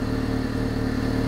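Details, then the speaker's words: Vauxhall Astra at idle: a rapid, even puffing chuff over the engine note from a blown exhaust, traced to a split down pipe. "blowing the exhaust so like I said let's get the car jacked up on ramps or axle stairs or something and have a look and see and we can fix this right"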